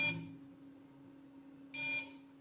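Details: PCE XP economy computer UPS after repair of a no-power fault (input fuse, PS204 bridge rectifier diodes replaced with 1N4007, 0.1 ohm fuse resistor); two short high beeps about 1.7 s apart over faint hum, powering up normally.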